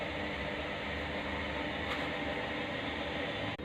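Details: USHA ceiling fan after reassembly: it had hummed and stuck because its worn, loose top and bottom bearing bases had enlarged. It now spins with an even, steady whirr and no hum, scrape or knock.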